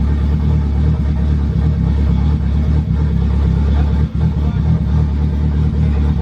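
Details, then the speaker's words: Honda sedan engine running after chain tensioner and valve lash work; it was smoking a minute earlier, and the fuel trim map change toned it down a little. Deep, steady low rumble, even beat, no knocks, rattles or misfires; sounds good, normal running. "the biggest thing was just to know that the car turns on, and it ran. Turned on. You heard it. I mean, it sounds good."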